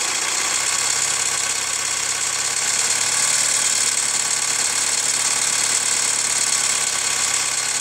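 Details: Hyundai ix35 CRDi 136 hp diesel, hot after a drive: idle with sharp metallic ticking clatter over steady hum, more ringing on light throttle; dealer replaced chain tensioner 1.5 years ago, lifters or tensioner suspected; hot engine knock, origin unknown.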